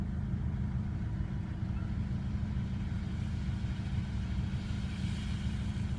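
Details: 2001 Mercedes W210 E220 CDI diesel: low idle after start with a heavy, slightly uneven chug and no clear knock on top; rough idle, cause unknown.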